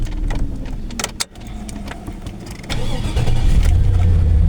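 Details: 2001 Chevrolet Silverado that had a no-crank, no-start fault with no check light, after the fault was cleared: the starter whirs briefly, the engine catches promptly and settles into an even idle; it cranks and starts normally.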